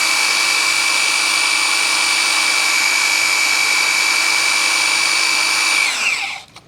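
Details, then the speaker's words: 1984 Ford 351 Windsor V8 from an F-150, stored about 23 years. The oil pump is turned counterclockwise with a drill to build oil pressure before first start. A steady, high drill whine for about six seconds, then winding down. "counterclockwise. There we go. Building oil pressure."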